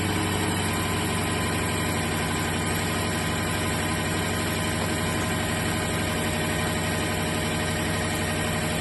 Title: clicking noise